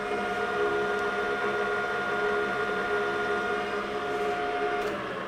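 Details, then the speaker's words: Steady, even whine at fixed pitches with no knocks or grinding from a Rutland lathe gearbox after motor replacement, spindle about 688 rpm versus 680 specified; same normal whine it has always had. "The motor, I got that changed out. It showed up the other day, and now you can hear the whine of that gearbox. Is the exact same whine this thing has had since the day I had it."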